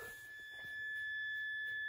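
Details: Mazda FD RX-7 with key on, engine off, after rewiring lights: steady piercing high-pitched buzz in a quiet cabin; warning buzzer, owner suspects door switches and possibly low coolant.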